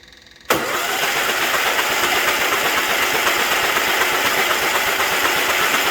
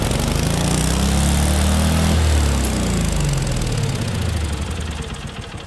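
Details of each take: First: Case 446 tractor after swapping in a Kohler Magnum engine taken from a Cub Cadet, oil pressure tubing redone, first crank before any start: steady fast starter churn, about four compressions a second, no knocks or binding; cranks over freely. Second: Case 446 with a swapped-in Kohler Magnum from a Cub Cadet, just started after the swap, before governor adjustment: thump climbs to a high rev then sags and slows over a few seconds, speed not held; governor out of adjustment.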